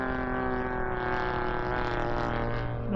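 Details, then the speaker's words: Stinger 40cc twin in 81-inch Legend Hobby Super Chipmunk RC plane, stock mufflers, in a climb at high power with some engine heat: steady drone with a slight uneven burble; owner calls the burble rich, but it still sounds good. "That barbling is rich, but it still sounds good. makes it sound real."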